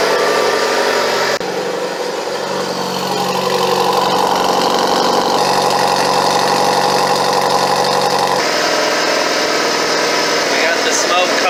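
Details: Mitsubishi Evo 8 at about 100,000 miles, first start after fitting an FP Red turbo, idling. Raspy exhaust puffs leak from the wastegate's dump-to-atmosphere tube.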